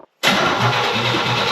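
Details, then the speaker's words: 1972 Pontiac Ventura Sprint with newly installed engine: starter cranks it over briskly, but it won't start because there's no gas in it. "okay well it cranks right over yeah it does we need gasolinas gasolinas it ain't got no gas in it"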